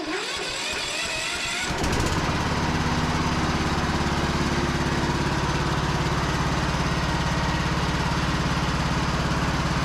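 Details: Cub Cadet lawn tractor, starter had cranked hard earlier (solenoid smoked), some corrosion suspected on the terminals: short, free cranking catches in about two seconds and settles into a steady, even run; normal cranking and start.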